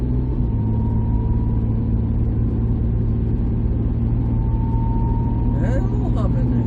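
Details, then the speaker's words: 2008 Mercury Mariner after steering shaft and steering box replacement, driving: steady low growl and hum under road noise from underneath, source unknown; steering now tight with no shimmy. "hell huh well that kind of bites I don't know what all that noise is"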